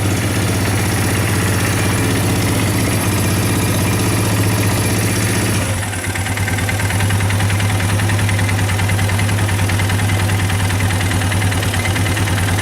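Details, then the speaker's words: Baja 250cc single-cylinder engine, wiring partly apart: quick steady idle beat, then brief dip and stumble near six seconds when a connector plug is disturbed before settling; ignition wiring fault suspected among three connectors. "Doesn't seem to bother it there, but this one it doesn't seem to like."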